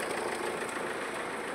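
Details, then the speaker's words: Mahindra XUV500 diesel idling in neutral: loud dry rattle and chatter from the belt end, steady with engine speed, whole engine vibrating, worst when revving; belt tensioner found broken in two, belt torn. "आवाज कितना आ रहा है पूरा vibrate कर रहा घर घर घर घर और इसका शायद बेल्ट भी कटा हुआ है बेल्ट भी शायद कटा हुआ दिख रहा है"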